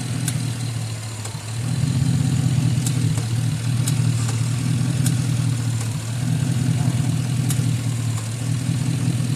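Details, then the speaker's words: Old single-cylinder Onan 3.0AJ-1R RV generator on a long-stored battery jumped from a truck, fuel line primed: loud, steady, deep unmuffled thrum, even beat, no misses or knocks; runs healthy. "Now what? It runs and it seems to be very healthy."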